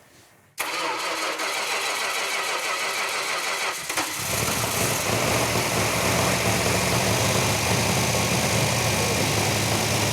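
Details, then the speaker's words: 1971 Dodge Challenger R/T engine firing for the first time on the run stand after assembly, with the right-hand muffler off. It cranks about three seconds, then catches cleanly and settles into a strong, steady V8 idle; healthy. "for me one of the biggest payoffs in these builds is firing up that engine for the first time on the Run stand uh you got the smells you all your senses are on overload I mean you've got the vibration you can actually feel that engine firing on every cylinder"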